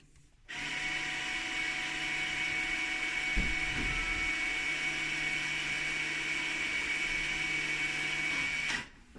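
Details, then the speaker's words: Mercedes-Benz with electronic parking brake, ignition in position one, pad replacement service mode selected in the instrument menu: steady high actuator motor whine for about eight seconds, then cuts off cleanly, the normal sound of the parking brake actuators retracting. "and you will hear the whining noise means the actuators are extracting"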